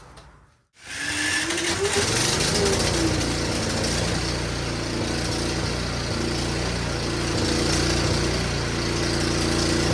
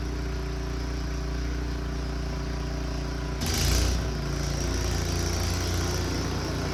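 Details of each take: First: Snowblower returned by a buyer, whose starter seems to be going bad and responded to hammer taps, after adding more fuel: starts quickly, then runs rough with speed wavering up and down. Owner wonders if playing with the switch is involved; cause unclear. Engine surging. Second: Returned snow blower's small engine clearing the driveway: an even, steady drone with a brief surge as it takes load and no misses or knocks, and it runs fine.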